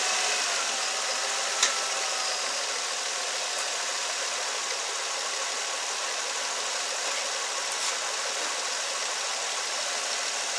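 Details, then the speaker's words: 2006 Nissan Altima 3.5 VQ35DE with P0300 misfire under load, after repair, in reverse holding brake under load; even steady hum with no stumbles or missed beats, smooth running, no misfire. "Awesome. So everything's working fine with this vehicle."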